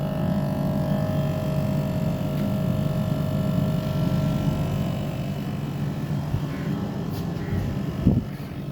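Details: Newly installed Mitsubishi AC outdoor unit running in test mode after a no-start fixed by bypassing a failed fuse (no continuity) and a poor neutral connection: steady low hum, even drone, faint tone above, no knocks or rattles; normal running.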